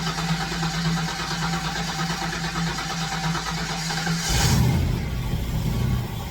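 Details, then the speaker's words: Fox Body Mustang with weak battery: steady cranking about four seconds, then one brief firing burst on sprayed starting fluid that dies; fuel pressure present, owner suspects injector ground on factory harness. "now okay we got a fire off there [Music] all right so it'll bark if it has fuel so the fact that I've got fuel pressure unknown quality of fuel but there's definitely liquid there should be enough to bark"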